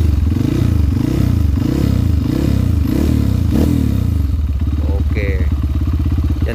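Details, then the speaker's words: Honda CRF150L single after riding through a river, hard to start; strong rhythmic throttle blips rising and falling, then a crisp even idle thump; engine judged fine, healthy. "nyalainnya harus dicela guys ini guys selaknya sulit pula oke mesin aman suaranya adalah"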